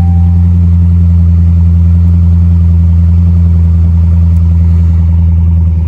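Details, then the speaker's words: Salvage-auction V8 with good oil level, no check engine or airbag light: deep, smooth, even idle with steady low rumble and no ticks or knocks; healthy engine. "sounds very healthy oh yeah dang this thing is definitely sick I like it"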